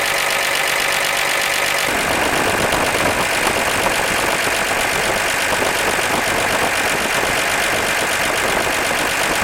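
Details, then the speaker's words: 1948 Chevy stovebolt engine idling at its first start in 32 years. An even, steady idle with busy top-end clatter and no misses or heavy knocks; oil pressure is present. Vacuum is a little low, and the carburetor and intake bolts are to be rechecked. Normal idle. "i'm a little low on vacuum so i'll have to look around and recheck my bolts on my carburetor and my intake but man she's just purring away"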